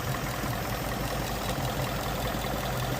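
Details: Ford Mustang GT 5.0 Coyote V8 at idle, codes P0302 and P0316: dense, slightly lumpy idle with uneven low beat from a cylinder 2 misfire; cam/crank timing being checked, cause still unknown.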